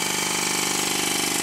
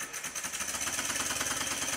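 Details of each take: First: Stuart 10V steam engine on compressed air, before shimming the high crankshaft main bearing: quick even beat with light knock each turn; before/after comparison of main bearing knock. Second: Rebuilt Stuart 10V steam engine on compressed air, after final main bearing bolt tightening to cure tight spot at bottom of stroke: light, even chuffing just under three beats a second, no bearing knock; very quiet.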